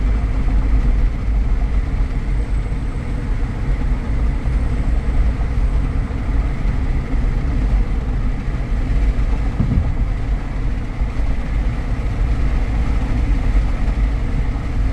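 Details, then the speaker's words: 2014 Jeep Grand Cherokee Limited 4x4, known for the 3.6 tick, at highway speed near 60 mph: smooth, steady road and engine drone with no clunks or grinding, good acceleration; normal highway cruise. "But this is driving really well. It has good acceleration. [Music]"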